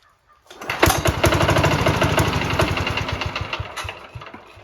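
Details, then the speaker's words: 1968 Sears Suburban 12 single-cylinder diesel, after finishing the exhaust and 1in-pipe intake and plumbing the fuel tank: rough, uneven beats softening as it stalls; owner suspects fuel starvation, the shut-off solenoid, a fuel line leak or restricted intake. "yeah it's running out of fuel that stinks and it is possible that that shut off solenoid is causing a problem"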